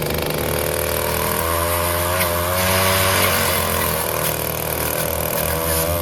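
The small two-stroke buzzes steadily at a high, even pitch with no stumbling or surging, so it is running cleanly.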